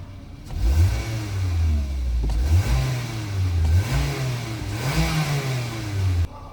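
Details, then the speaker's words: 2024 Mitsubishi Xpander after cleaning the air filter element; revs previously snagged slightly, now climb and drop cleanly on each blip with no stumble or hesitation, crisp immediate response; clean rev response. "Kanina parang may sumasabit ng kaunti, pero ngayon diretso yung RPM niya."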